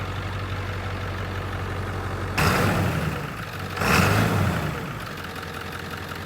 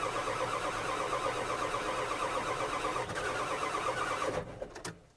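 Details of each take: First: 1997 Ford F350 7.3 diesel, hopefully clearing water from the fuel system: steady, even low idle clatter after brief handling noise, no miss; cleaning up, though front tank still holds water. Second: 1997 Ford F350 7.3 diesel that lost power with heavy white smoke and died while pulling a skid steer: even cranking about four beats a second, never catching; water in the fuel.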